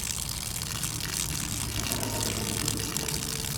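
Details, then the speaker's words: RV water pump being tested with the discharge run through a garden hose: a steady hiss of water splashing over a low pump hum with no surging. The stream is thin and the pump gives less flow and pressure than expected. "I would expect to see more coming out of there. Expected more pressure, tell you the truth."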